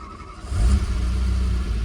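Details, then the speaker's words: Renault Alpine GTA Turbo after revival, already warmed up: quick catch, then steady, even low idle with no stumble or miss; normal start and idle before a test drive to check whether the earlier misfire is gone. "It fires up very nice. It's idling very nice."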